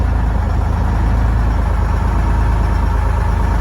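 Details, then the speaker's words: International fire truck Detroit diesel with new batteries and cleaned ground cables, not started in about a month, 64°F, air horn air leak audible: cranks fast, starts right up into loud, deep, even idle, no knocks or misses, good oil pressure; normal idle. "it's cranking over fast though [Music] and then it started right up"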